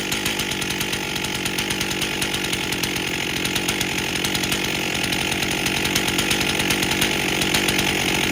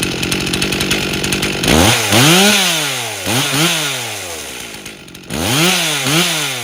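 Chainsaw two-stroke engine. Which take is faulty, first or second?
first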